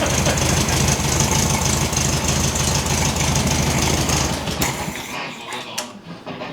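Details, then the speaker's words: 1969 VW Beetle after 25+ years unrun, now restarted: steady, even low putter at idle with no knocks or misses; healthy flat-four idle. "Yeah, we'll let her idle and Well, warm up a bit."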